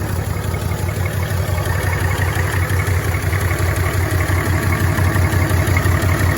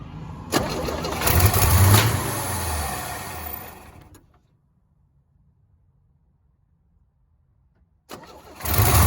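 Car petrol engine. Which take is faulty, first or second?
second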